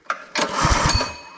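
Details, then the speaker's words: Brute 30-ton log splitter, Briggs & Stratton engine (roughly 5–6 hp), customer says won't start: one recoil pull gives dull compression thumps, never fires; no spark, which returns when the kill-switch wire is wiggled, suspected short in that wire. "Yeah, now we've got no spark again. So this wire here that comes off of the kill switch, I wiggled that and then we ended up getting spark again."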